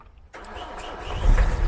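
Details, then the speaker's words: Vauxhall Vivaro diesel van after repairing a short circuit suspected as alternator fault, restarted in neutral: short crank catches quickly into a steady, even diesel rumble, no battery light; a clean healthy start. "Oh, sweet as a nut. Got no battery lights on."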